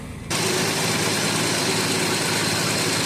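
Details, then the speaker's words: 1969 Dodge Dart slant six, sat 6 months with 10% ethanol gas, started after fuel filled the carb bowl, known transmission leak; catches and settles straight into steady, even idle, no misses or knocks: normal idle. "Gotta love a slant 6. Just really simple. Doesn't take a lot to get it going."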